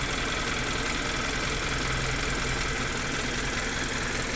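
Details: Hyundai Sonata at steady idle after the fix, held above 3000 rpm for a few minutes first: even idle with a constant hiss and no tick-tack ticking left from the engine bay; engine running normally.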